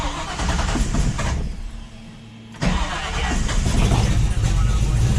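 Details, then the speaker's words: Ford Falcon XB GS, fuel-injected, after enrichment decay change: cranks, catches roughly, stumbles and nearly dies, then runs lumpy; suspected running rich from decay or initial enrichment settings. "Oh no, she's not happy. Yeah, sounds like it's still getting too much fuel there."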